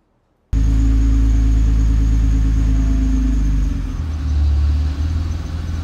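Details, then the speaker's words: Nissan GT-R R35 GR6 transmission at creep with touch points set too high in the transmission utility: deep low-revving drone with coarse uneven rattle, engine lugging as the clutches engage, not a bell housing fault. "Do you hear that noise? That rattle? Anytime anybody hears that rattle, they think it's a bell housing. It is not. It is the engine lugging due to excessive uh touch point uh preferences."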